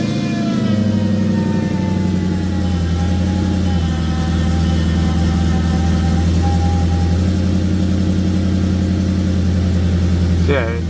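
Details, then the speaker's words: Mercedes CLK55 AMG M113K V8 with suspected O2 sensor issues, cold start: low steady idle that briefly stumbles as revs fall after a blip, then settles; slightly better than before, cause unclear. "up quick it's just it's going to stumble a little bit when it falls"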